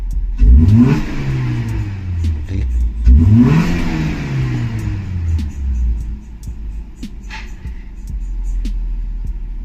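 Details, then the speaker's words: Maruti Suzuki Ertiga factory CNG car after replacing spark plugs and coil to fix misfire: two sharp revs climb cleanly and drop back to steady idle without stutter or misfire; normal revving. "CNG में आने के बाद में accident करके आपको दिखा देता हूं की किस तरह से ये परफेक्ट कम कर रही है स्मूथली चलेगी पिकअप भी कंप्लीट आएगा"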